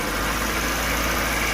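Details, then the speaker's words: Maruti Eeco engine after fix, revved: steady even smooth hum with no grinding, ticking or squeal; normal sound now. The earlier rubbing noise, the customer's complaint, came from an over-tight timing belt. "देख लो race कर फिर भी कुछ भी आवाज नहीं है एकदम नॉर्मल साउंड हो गया"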